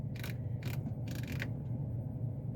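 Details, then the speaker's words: Buick Encore with no heat, blowing only outside-temperature air, engine running: three short whirring bursts of a small motor over the steady engine hum show the blend door actuator moving and working. "could hear something moving like i could hear the actuator moving so that seems to be working"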